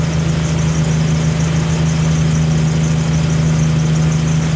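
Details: Jeep Wrangler YJ engine held by the newly installed, adjusted hand throttle with hands off: steady, even raised speed with a constant low drone, no surging or hunting; normal steady raised idle.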